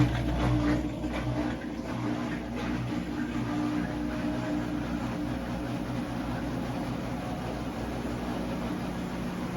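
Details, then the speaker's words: Kenmore washer spin cycle after replacing springs to cure banging; steady whirring spin with low hum and light cabinet shake but no banging, fix successful. "You can see it's shaking, but there's no banging. And that's what we were hoping for."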